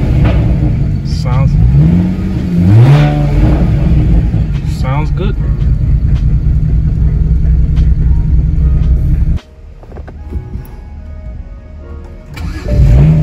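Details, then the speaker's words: BMW 335is after swap to a replacement N54 engine, running on old bad fuel: steady, even, smooth low idle with no stumble or skipped beats; idle is good but it would stall if driven, so the old fuel is to be drained. "so idle is good but you can't really drive on it because it's going to go ahead and like stall out and it's not good for the engine"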